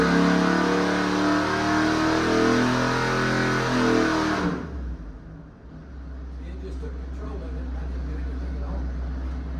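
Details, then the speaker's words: Freshly rebuilt Ford FE 390 big-block V8 with Aces EFI for a 1967 F100, computer-controlled dyno pull; clean roar climbing smoothly about four seconds, then a low even rumble; made 320 and 404; healthy full-throttle dyno pull. "That thing sounds good. It does sound good."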